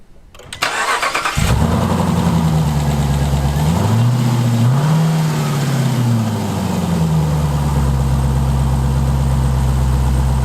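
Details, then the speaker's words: Jeep Trackhawk Hellcat V8 after cylinder head replacement for a damaged valve seal and top-end rebuild, primed first cold start: catches, brief warm-up flare, light tick fades as oil reaches the top end; quiet normal idle. "It lives. That's right, guys. Fired up. Got a little bit of a ticky tick with it. You know, we got the oil coming up to the front end. It's all quiet now."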